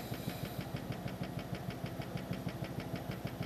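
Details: New computer power supply humming and vibrating, with a low hum and a quick, even thrumming pulse about five times a second; a cheap fan is suspected as the cause, not confirmed.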